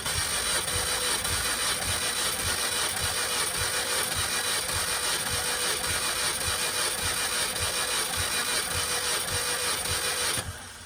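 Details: 2005 Mini Cooper S cranked via a jumper starter bypass around the immobilizer, plugs out for a compression test (about 130–150 psi): an even starter whir with a steady chug and no grinding; the starter sounds healthy.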